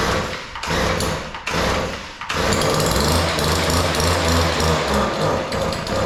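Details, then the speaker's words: Weed Eater PE550 two-stroke edger, primed with carburetor cleaner after failing on full and half choke: sputters and surges unevenly, cutting out twice before catching; both carburetor mixture screws far out of adjustment, too lean. "It doesn't sound good, but All right. I'm going to open the screws that lower the high speed and we'll see if we can get it to run."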